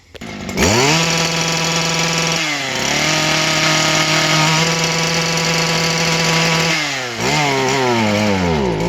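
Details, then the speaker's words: Stihl KM94-RC two-stroke kombi tool, a few months old: high buzzing note held flat out at fixed pitch, not climbing further, vibrating on the rev limiter; rev limiter at full throttle. "the only bad thing about the edger is it vibrates when it's on limiter everything vibrates when it's on limiter"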